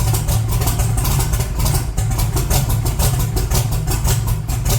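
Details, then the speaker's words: 1982 Chevy S10, long stored, idling cold with very low vacuum: an uneven, loping, stumbling V8 idle with heavy vibration, a clear misfire rather than a vacuum leak. "he got the vacuum lead definitely running rougher and the RPM D [Music] too don't show up on the camera vibrating a lot more than normal"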